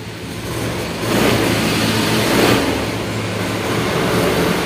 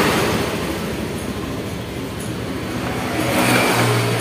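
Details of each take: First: Honda Scoopy ESP fuel-injected scooter with weak fuel pressure, hard starting and fluctuating idle revs up sluggishly and unevenly on throttle blips, delayed response; cause in the fuel pump. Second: Honda Scoopy eSP fuel-injected scooter after fuel pump filter fix: kick-started first try, idles steadily and evenly, picking up slightly near the end, no misfire or stumble; normal idle.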